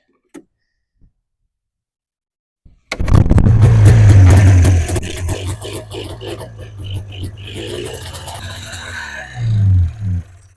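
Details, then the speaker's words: Polaris Indy two-stroke snowmobile, first pull-start of the season after a splash of gas down the cylinders: rough revving crackle settling into an even run; running normally. "all right I am pumped to hear this thing run sounds like winter"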